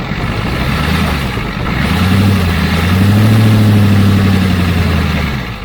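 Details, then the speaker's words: Ford 7.3 IDI dually diesel, just started after adding a low-pressure fuel pump and bleeding the lines: lumpy rumble that swells and sags, boggy. Owner suspects too much fuel from leaky O-rings. "Kind of boggy though. I think it's getting too much fuel."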